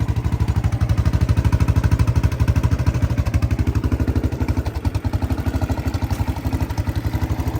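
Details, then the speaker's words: 1984 Honda ATC 200ES Big Red three-wheeler, running after 20+ years with carburetor cleaned, tank cleaned and electrics repaired: steady even single-cylinder thump, regular firing, no knocks or misses; normal idle. "So it runs pretty good."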